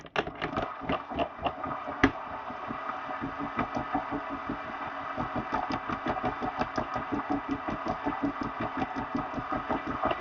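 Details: XR Direto bike trainer after replacement belt and tensioner pulley and JB-Welded, re-torqued metal drive pulley: rough, gritty grinding with uneven pulses about three per second from the drive; loud noise persists, cause unknown.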